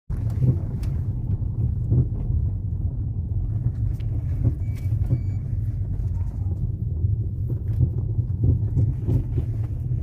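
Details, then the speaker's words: Ford Fusion driving over rough and mildly potholed streets: loud, irregular hollow clunks ("ploc ploc") from the suspension over steady road rumble. "Você viu que em linha reta a gente passou numa rua aqui é esburacada, uma rua é ruim mas também na rua que estava mais é que não tinha tanto buraco, ele fez também esse ploc ploc, esse barulho chato aí, muito alto."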